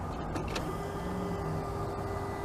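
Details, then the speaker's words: 1998 GMC Sierra K1500/K3500 at key-on, engine off, during crank-no-start diagnosis before ignition control module and coil replacement; faint steady electric hum with fixed high tone; fuel pump priming normally. "you can hear the fuel pump going. I got a crank, but no start."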